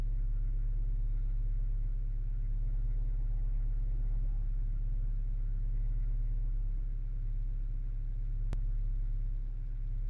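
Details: 1995 Acura Integra LS B18B1 5-speed, AEM intake, idling ~750 rpm: sharp click every several seconds from under passenger side of hood, whether cold, warm or after long drives, from key-on; ABS light comes on while driving; cause unknown.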